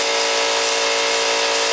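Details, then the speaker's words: Harbor Freight 125 psi compressor on two parallel run capacitors replacing 140MFD original: loud, steady high-pitched rattling drone, even tone, no stalling or labouring; pumping up normally near 125 psi cutoff, just noisy. "I can tell you one thing, these old Harbor Freights, they're a noisy son of a gun."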